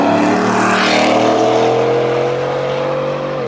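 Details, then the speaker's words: 2017 Shelby F-150, 750HP supercharged 5.0 Coyote V8, new stainless dual 3.5-inch megaphone exhaust with tips: smooth, steady note cruising at 50 mph that eases off gently, no booming drone; healthy, normal exhaust note. "It's not overbearing, it's not unpleasant. I'm cruising here at 50 miles an hour. I've got no drone whatsoever."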